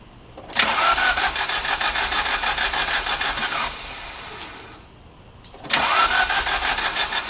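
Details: Alfa Romeo: starter churns the engine in two long, even bursts but it never fires; cranks, no start.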